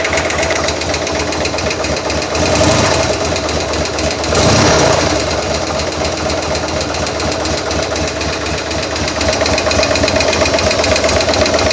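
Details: 2000 Buell M2 Cyclone V-twin after stator replacement and shifter adjustment, oil a little low: sharp metallic knocking about four per second over idle and rising revs, ticking from the top end; owner suspects a sticky lifter, unconfirmed.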